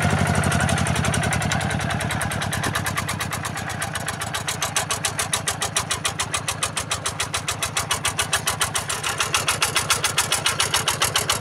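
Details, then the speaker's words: Yanmar TF-85 single-cylinder diesel on a tractor, engine itself running smoothly at about three and a half beats a second, with a loose metallic rattle from worn, loose parts of the tractor housing; fan bearings also noisy. "Sebenarnya mesinnya ini sudah halus ya. Cuma ini banyak e sudah longgar-longgar atau sudah oblak pada rumah traktornya."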